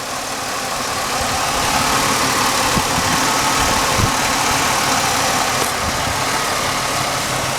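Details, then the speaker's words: Cleaned-up engine with 200,000-plus miles idling steadily after a rear brake job, a smooth even hum with no knocks or misses; it runs good. "Got the motor all cleaned up. This thing runs good. For 200-some thousand miles on it, this thing runs damn good."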